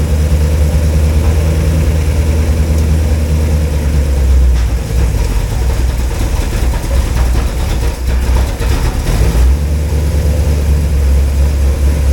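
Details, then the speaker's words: V8 truck engine after rebuild, cold start at 40°F, run briefly with no water pump: deep even idle with steady low rumble and a few small blips; no clatter or knocking, runs normally. "well it runs it sounds good it ain't clacking it ain't knocking it's idling you know as you expect the cold engine"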